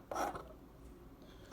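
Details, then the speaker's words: Cadillac STS exterior door handle after repairing the keyless entry micro switches. Two small, crisp clicks as the handle is pulled and released; the micro switches and lever are working normally. "can hear the micro switches clicking and the lever is in the correct position"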